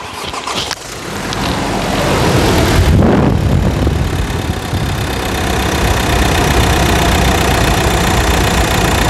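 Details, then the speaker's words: Nissan Frontier automatic pickup at 70,000 km, in for suspension work. A brief crank, the engine catches near three seconds, then settles into a steady, even diesel idle with no knocks. Normal start and idle. "E aí e é muita melodia"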